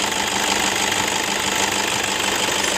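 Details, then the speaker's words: 2011 Toyota Fortuner 2KD 2.5 diesel at idle: rough uneven knock and metallic jingle over clatter from worn belt tensioner assembly and idler pulley bearing. "Kasar banget ya Nah ini tersebut itu berasal dari engselnya sama Idol bearing deh Jadi ada bunyi rocker itu Kasar banget dari Tensioner dan juga ada bunyi Gemerincing dari Kidul Benny"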